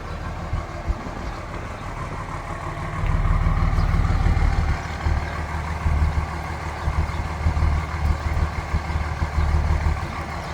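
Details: 2003 Dodge Ram 3500 Laramie crew cab dually diesel 4x4, recorded from behind at the tailpipe; deep, steady, even diesel clatter at about three beats a second, a healthy idle.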